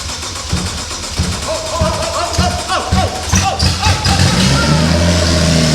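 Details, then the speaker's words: First start of an engine swap in a vintage BMW, started with fuel pump prime and start button: starter cranks, engine catches and settles into a strong, steady run; first start healthy. "Okay. All right, first start's complete. That was good. That was a rush."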